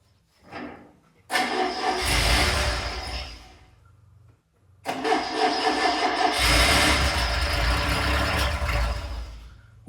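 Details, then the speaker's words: Tiger Cat E1, first start in ten years after flushing old fuel: cranks, catches and flares twice, stumbles unevenly and fades out, won't hold idle; hard starting and stumbling from fuel starvation, carb jets then cleaned. "come on he's running out of fuel so spent the next hour taking out the main Jets demotion to the oil mixture screws and clear them with brake cleaner"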